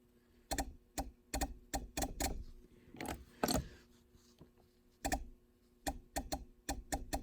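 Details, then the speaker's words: 1982 Mercedes 300SD diesel injector (non-turbo per housing) bench pop-tested on a hand tester, opening around 1950–2000; sharp, clean clicks in irregular bursts with crisp openings and no dribble, not leaking like the previous injector; normal injector. "That seems better to me. It's not leaking like the other one was."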